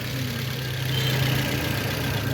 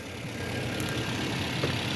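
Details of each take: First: Decoding the Toyota Corolla's Rare fault 2 Cylinder Misfire Second: Toyota Corolla petrol engine after repair of a two-cylinder misfire involving the injectors: a steady, even low hum at idle with no misfire stumble. Normal idle.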